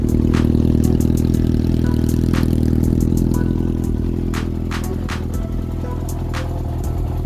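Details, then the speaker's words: Yamaha XJR400 four-cylinder after valve clearance adjustment and leak fix: even burble settling slightly lower, no ticking or clatter; no leak, noise now normal. "eh ay it pa pala kaino an wala ng leak saka h na maingay Buti normal na ingay nung ano"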